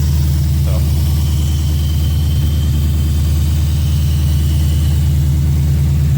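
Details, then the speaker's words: Lexus IS F V8 cold start after an RR Racing air filter install: deep, steady rumble at raised cold idle, smooth even pulse, throaty intake. Louder than before; runs cleanly. "Cold start, guys. Cold start too. It's definitely louder than the other one too."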